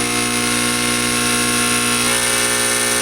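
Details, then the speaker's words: Fog machine pump running with no liquid drawn up the tube, vibrating hard. A loud, steady, harsh electric buzz at constant pitch with no flow sound, a pump straining against a clog. "This is not hot. That's not hot. This is hot. This is just vibrating like hell."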